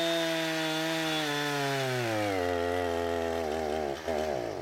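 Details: Husqvarna 455 Rancher two-stroke chainsaw with about 4 hours total runtime, previously running rough after warm-up, now after ignition coil replacement: strong steady howl bogging smoothly into the cut and holding revs without stumbling.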